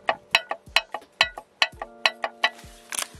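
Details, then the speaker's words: Ford Mondeo Mk4 dual mass flywheel during clutch job, rocked by hand via dowel: sharp ringing metal clacks about two a second from excessive in-out and side play; worn, failed dual mass flywheel. "that's not supposed to make that noise believe it or not that's not good so this flywheel is actually kaput"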